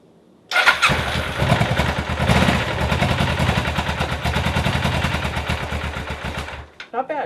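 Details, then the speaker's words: Suzuki GS500 motorcycle after repair of generator/magnet rotor (starter gear) that had come loose off the crankshaft; in neutral, tried without choke then a little choke. Short crank, catches at once into a steady, even idle; normal start. "no choke let's give her a little bit of Choke well I would call that a success she starts"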